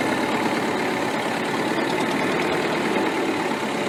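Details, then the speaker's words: Restored Ferguson TEF-20 diesel tractor, 98% complete: even steady tick-over, no misses, knocks or rattles; normal healthy idle. "We'll get the drone up, we'll get it started, we'll get the drone up, and then I'll show you it ticking over."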